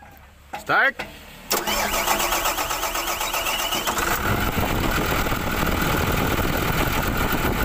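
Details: Volvo EW145B wheeled excavator diesel, after hard-starting and low-power troubleshooting with injector work: short crank, then fires and settles into a steady, even idle without misses or stumbles; smoke now normal.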